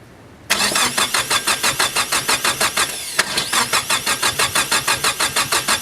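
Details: Nissan S15 SR20DET with a freshly rebuilt starter: steady starter churning at about three beats a second with uneven pulses as it tries to catch but never runs clean, while throttle body is modulated; it has spark.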